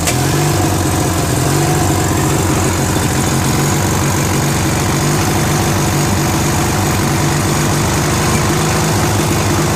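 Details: Free trash-find Briggs & Stratton 16HP opposed-twin on a Murray Ultra garden tractor, stuck valve freed, engine flushed, replacement carb fitted: loud, lumpy, uneven idle never settling; not running smooth, still needs carb tuning.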